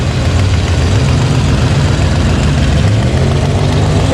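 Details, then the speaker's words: Budget turbo Fox-body Mustang with spout pulled and timing locked at 10 degrees, failing to build more boost. A loud, lumpy idle with a sharp tick on the exhaust beat; an exhaust leak near the header, which will be replaced. "I started hearing it a while back, started hearing a little bit of a tick."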